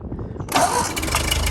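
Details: 1949 Ford 8N tractor converted to 12 volt, started in neutral on hand throttle: brief crank, catches at once and settles into a steady, even idle; normal cold start.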